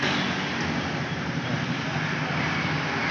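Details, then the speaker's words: Honda Beat ESP scooter electric starter, battery normal: energised starter gives a steady, even hum with no cranking rhythm, engine never turns over; starter hums but does not crank. "suaranya mendengung tapi tidak ada isinya bisa dimengerti"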